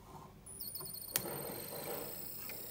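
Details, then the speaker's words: Weak 12 V DC switching power supply in a hot-cold water purifier with a Peltier chip, powering the fan; once the fan is plugged in, a loud, sharp, steady high-pitched whine with slight warble sounds; faulty switching supply whine. "Bạn nghe thấy kêu to. Có tiếng zip này."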